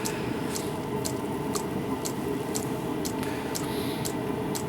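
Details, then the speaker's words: 12V diesel heater fitted with a bodged 24V fuel pump, lighting stage: metering pump ticks slowly (~2/s) then suddenly speeds up as heater fires straight up, fan about a thousand rpm; steady fan hum, normal fuel pump ticking. "like it goes from a low fuel tick tick tick tick and then just suddenly goes to tick tick tick tick tick tick tick tick tick tick tick tick tick and the fan forwarding about thousand rpm"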